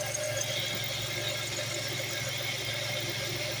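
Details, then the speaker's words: Idling engine with steady high-pitched accessory belt squeal; crayon applied to the belt's bottom ribbed side changes the noise, showing the ribbed side is slipping, belt likely glazed and needing replacement. "Ah, it's on the bottom. So, what's that tell you? It tells you that, well, you're going to probably need a new belt now because this thing is probably glazed enough. It's going to keep making noise."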